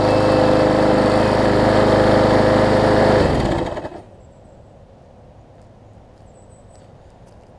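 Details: Yard Man push mower after a major service with the primer bulb replaced and priming working: a steady, even high-pitched engine drone for about three seconds, then a clean shutdown; normal running.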